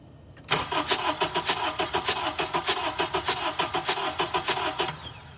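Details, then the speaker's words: Engine cranking with injectors disconnected on a lab scope, with compression deliberately reduced on cylinder three; one beat per cycle is noticeably weaker, giving a lopsided rhythm near 100 per minute, like a train arriving. "you heard that sound like a train coming into the station"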